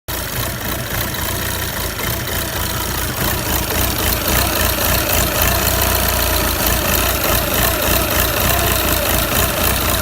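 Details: Audi A4 2.0 TDI common rail, CAGA engine, idling: uneven surging rise and fall with light knocking, after a month of worsening vibration; cause was the fuel pressure regulator valve at the end of the common rail, replaced with part 057130764H.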